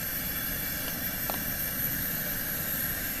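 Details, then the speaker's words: Coleman 414 Powerhouse dual-fuel stove that sat about two years with a quarter tank, running after lengthy priming. Steady, even hissing roar with no sputter or surging; the burner is burning cleanly and normally. "there just something about an old Coleman listening to him hiss"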